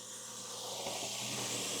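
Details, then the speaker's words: Check engine light, lean condition, bank 1 and bank 2 upstream O2 sensors reading about the same: loud steady hiss over the running engine from under the hood, a vacuum leak traced to a broken vacuum hose. "Okay, I hear a vacuum leak."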